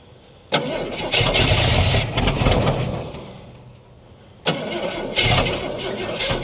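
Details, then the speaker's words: Cold Ford Falcon, about a 1968 model, six-cylinder petrol engine, parked since 1990 with 20,000 original miles, Stromberg carb primed by hand: two cranks each catch into a few seconds of ragged firing that fades and dies, running only on choke. "Well, she's firing. That's a start. I think she likes the choke more being so cold."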